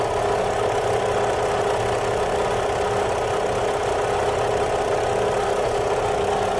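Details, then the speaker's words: 2009 Kia Carnival at idle, checked with a stethoscope noise detector: steady low hum riding evenly over the idle without knocks or misses, loudest at the front, traced to the water pump bearing. "ito kita po ninyo Meron pong ah ah noise humming noise noise and SL from water pum"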